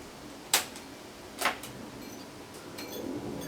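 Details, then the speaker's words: Victor RC-M70 cassette deck, non-working unit, in roughly 100-degree heat: two sharp clicks a second apart, then near silence and no motor hum; transport clicks but never runs. "but I want to say I can hear the motor running, but I can't. So, I hear it go click."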